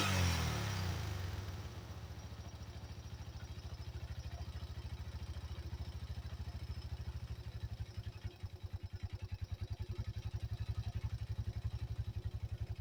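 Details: 1985 Yamaha Moto 4 ATV after old carburetor replaced with a new one; brief rev settles into a steady single-cylinder putter of a couple of pulses a second, quieter than ever: normal idle.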